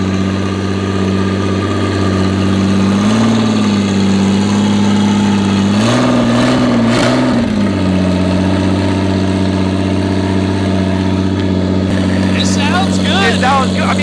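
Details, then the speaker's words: Mystery 2JZ project engine first run, with up-pipe: loud, raw idle with a couple of quick blips, steady underneath with no tapping or knocking; engine sounds healthy. "it sounds awful but it sounds good it sounds good though called it I called it good engine"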